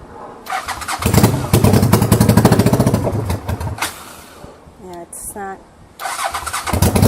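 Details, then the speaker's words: 1985 Honda VT500 motorcycle after an engine rebuild, first start with no mufflers, starter fluid sprayed into the intake: loud, uneven popping for a few seconds, then it dies; carbs, throttle and ignition coil still need tuning. "here's my starter fluid and I'm gonna spray song and D intake it's just so breeze come running great it's gonna die off"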